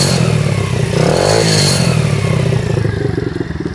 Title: WPB125 engine noise **PBC PIT BIKE CLUB**